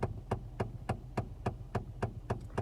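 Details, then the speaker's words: Car cabin: sharp, even ticks about three and a half times a second from behind the dashboard over a low hum; stopped by turning a dash control fully left and switching a button on. "hey how's it going guys you want to fix the ticking sound on the side of the car that sounds like this"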